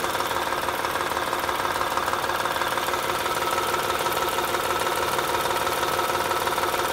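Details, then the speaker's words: 2007 Honda Odyssey 3.5, stethoscope probe on the timing belt tensioner: steady metallic ticking about three per second over a whirring hum; failing tensioner, replaced along with the timing belt. "mejor aquí se escucha seguramente es el tensor de la banda el que está provocando ese ruido"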